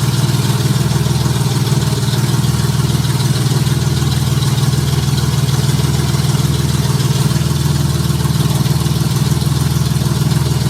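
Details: Junkyard Honda J35 V6 with 183,000 miles in a Baja, start on AEM Infinity ECU, warming up at idle before throttle: smooth low hum, no knocks, ticks or valvetrain clatter, good oil pressure; healthy.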